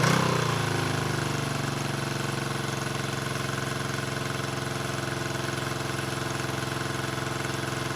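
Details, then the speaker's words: 1974 Honda CB350F revived after sitting 20+ years: uneven, loping idle running only on cylinders 2 and 4, with 1 and 3 not firing. Owner suspects a fuel rather than an ignition problem; unconfirmed. "okay I'm running it's weird it's weird I'm running on four and two I'm only running on cylinders four and two and one and three are not firing"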